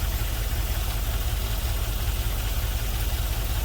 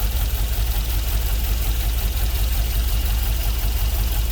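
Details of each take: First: LS-swapped GMC Vandura, first start after ECU flash: V8 idles with a lopsided, lumpy beat, roughly two stumbles a second, running on five cylinders; a couple of injectors not firing; misfire. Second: GMC Vandura with LS V8 swap, first start after ECU flash and fan wiring: deep, even V8 burble at a steady idle with no knocks or ticks; healthy, no leaks, cooling system still needs bleeding.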